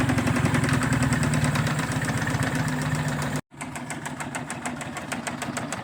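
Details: 2002 Tracker 25 hp outboard idling with a steady knock of about four beats a second over the engine note; source not pinned down, cause unconfirmed.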